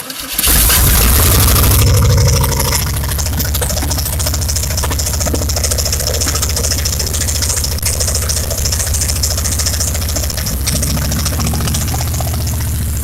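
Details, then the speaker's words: Old Chevy 350 V8 started on the ground out of the vehicle, tested before install in a Chevy truck, with open exhaust manifolds. A brief crank and loud bark settle into a fast, even rumble; normal start and idle, runs good. "See What we got here, guys? Wow. It runs good. Sounds good."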